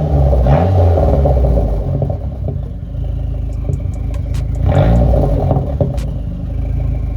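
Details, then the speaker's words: Dodge SRT-4 after a radiator leak and coolant refill, warm, idling with the heater on to fill the heater core at about 145, rising to 150 on revving: a steady idle and smooth blips with no misfire. "all right guys I'm going to be calling the video here car is idling great"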